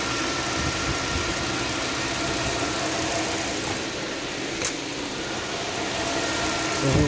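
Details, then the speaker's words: Nissan Sentra, 131,860 km, after repair: steady, even idle with no stumbles; P0302 cylinder 2 misfire fixed by replacing the cylinder 2 spark plug, which had lost its electrode tip; codes cleared, normal idle. "so wala na tayong misfire so Ayos na Ong ating centra wala ng mpire wala ng palag"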